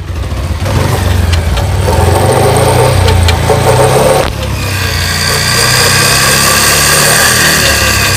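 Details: Pulsar motorcycle running in fifth gear with a gritty, rasping grind over a steady engine drone. A new gearbox was installed.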